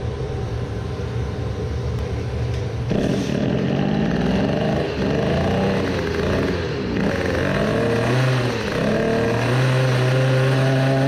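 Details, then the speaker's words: Small two-stroke moped engine (20 hp build) with newly fitted home-made dry clutch, revving up and down: a dry, light funny clicking rattle underneath, no oil leaking; unsettling but normal dry clutch noise. "you can hear a funny clicking sound. some say that a dry clutch has a nice noise but I think there is nothing nice about it the noise does not give confidence I think but it is normal"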